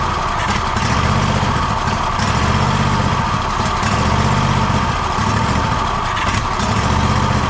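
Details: Gravely ZTX 42-inch zero-turn mower during 160-hour engine service, after fuel line reconnected: loud engine runs unevenly, low note swelling and sagging about every second; still running rough.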